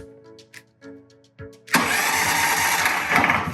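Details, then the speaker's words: Powerhorse 420cc OHV horizontal small engine, 12.5 HP, with oil but no gas, fuel and choke off, on a new 330 cranking-amp battery: electric starter dry-run test. A click, then a brisk steady whirr for about two seconds without faltering; normal starter cranking. "Boy, thing kicks out hard. That's a 330 cranking out battery. It's a lot of juice, and I can feel it kicking the starter out."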